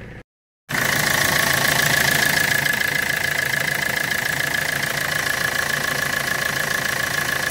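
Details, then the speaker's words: Citroën Berlingo diesel after alternator rework (new bearing on the rebuilt rotor), idling under the bonnet: steady even clatter with a faint steady whine, no rattle or chirp, alternator at normal temperature; normal idle. "jak widać Albo nie widać wszystko suie gładko równo bez żadnych hałasów podejrzanych dźwięku"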